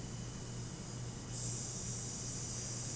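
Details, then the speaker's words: Early-generation 2006 37-inch Polaroid LCD TV: a hissy, high-pitched screech near 8 kHz starts as it powers on and stops in standby, a classic switch-mode power supply failure from failing Capxon capacitors. "so what's happening with this tv that makes it sound like the gates of hell have opened up inside of it well it's actually pretty simple you see now it's in standby noise is gone so what is causing the noise"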